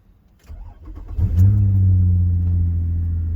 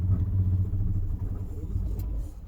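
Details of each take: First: 2005 Nissan Murano towed in with dash lights on; it was starting then stalling. After parts were slid back together, it cranks briefly, catches cleanly, flares once and settles to a smooth, steady idle. Normal start. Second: 2005 Nissan Murano towed in with dash lights on: engine catches with a low rumble then dies within seconds, refires and dies again.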